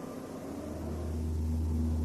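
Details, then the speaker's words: Deep steady drone with a low hum that swells slightly as speed builds, from an unbalanced driveshaft, which can cause humming and vibration at high vehicle speed. "может вызывать гудение или ржание в общем какой-то новой а также вибрации при движении автомобиля с большой скоростью"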